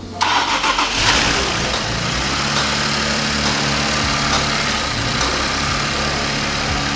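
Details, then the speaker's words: Infiniti Q50 VR30 engine after timing chain replacement, first startup without coolant filled: crank catches quickly, brief flare, then steady even idle with no knocks or misses; normal startup and idle. "looks like it's running just fine yeah it's running good that's a good sign"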